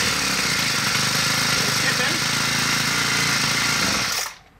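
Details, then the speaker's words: New Poulan Pro PP428S string trimmer, two-stroke, carb too lean from the factory: steady high buzzing idle that dies abruptly when the throttle is opened from idle. Full throttle runs fine; low-speed screw is too lean and needs more fuel. "when I first pulled the throttle it died right away it's not gonna be because the low speed screw is a little too lean you need a little more fuel in there"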